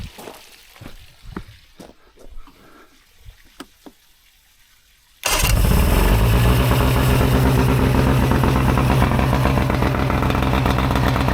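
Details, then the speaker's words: Old Mercury 115 outboard on muffs after fixing fuel leakage causing high revving and adjusting linkages: some clatter, then fires up and settles into steady, even run, no misses or knocks; runs good. "Thing runs good. Not very much corrosion."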